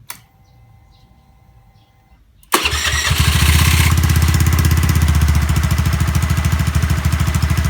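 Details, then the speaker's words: Honda Zoomer-X fuel-injected scooter after replacing the fuel filter and electric fuel pump: fires first try and settles into an even, steady putter around three beats a second; starting and stalling problem fixed. "สิ่งที่เราทำกับรถคันนี้คือเราเปลี่ยน2อย่างนะครับเพื่อนๆเปลี่ยนกรองน้ำมันเชื้อเพลิงกรองน้ำมันเบนซินนี่แหละครับแล้วก็เปลี่ยนเจ้าตัวมอเตอร์ปั๊ม"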